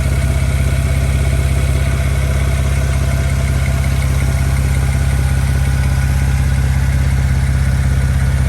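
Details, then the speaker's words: Built BMW 335i N54 with a suspected turbo exhaust leak, at idle. Steady regular exhaust puffs with no hiss or knock. Owner concludes these are just normal exhaust pulses. "i can hear that it's in the exhaust and i think it's just exhaust pulses and i think i'm just overthinking it"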